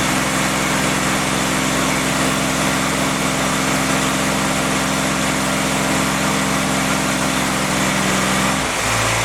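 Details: Freshly rebuilt CJ5 snowblower Jeep F-head four-cylinder, original cam with break-in lube, held at fast idle to seat rings: smooth even drone, no knocks or ticks; normal running during break-in.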